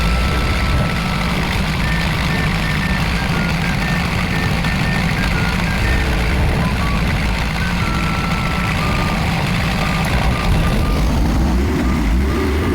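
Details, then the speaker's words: Kia Bongo Big Eye diesel that would not start, now running after a hose/part was refitted: steady deep diesel idle with an even rumble, no knocks, misses or hunting; fixed and running normally. "so okay na po yung unit na' guys yun lang po yung sira niya"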